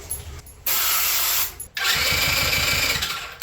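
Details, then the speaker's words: Quad that stopped running, acting like no spark, after ether and choke: starter whirs fast and light with no compression strokes slowing it, never catches; valves and piston moving but no compression. "valves moving they're definitely both moving the Piston is moving but we have no compression interesting"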